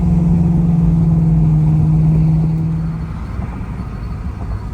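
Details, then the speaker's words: Ford Mustang GT 4.6 SOHC V8 with new headers and stainless X-pipe exhaust while driving: deep steady drone, no exhaust leaks; only scraping from a bent wheel backing plate. "all right guys exhaust sounds good I hear no exhaust leaks uh no foul noises except for that backing plate on the wheel over here"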